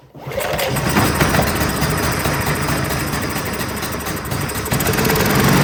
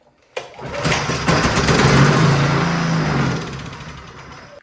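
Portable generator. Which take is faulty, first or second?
second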